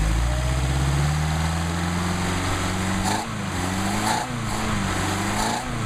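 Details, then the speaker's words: Mercedes-Benz 190SL with rebuilt replacement Solex carburetors (serials 55588, 101464) on test; started without choke at about 99° ambient after a couple of accelerator pumps, warming up before adjustment. Even idle drifting slightly with small blips, smooth firing; normal warm-up idle. "The only way you can adjust these properly is to warm up the engine, so I'm going to warm it up here pretty quick."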